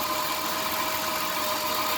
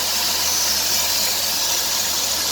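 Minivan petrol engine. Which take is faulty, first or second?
second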